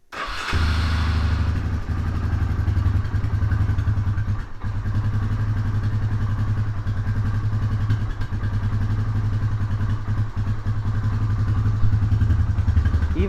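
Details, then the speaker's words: 1999 Honda Fourtrax TRX300FW 4x4, warmed up: slow, uneven low thump at idle that sags and lopes on the verge of stalling; idle speed set too low, idle screw turned up improves it. "when I warmed it up outside it seemed like it was kind of all on the verge of stalling so give this idle screw a little turn that's better"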